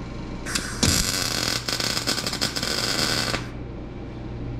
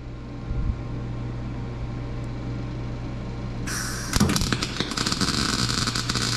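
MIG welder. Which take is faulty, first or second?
second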